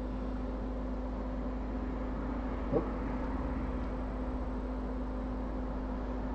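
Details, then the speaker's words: ASUS ROG Strix GTX 1070 Ti graphics card fan after refurbishing with new grease, very quiet steady low hum with no rattle, scraping or wobble, glides smoothly; normal fan running. "I mean you hear not like I mean nothing is like it glides so beautiful like there's not a peep"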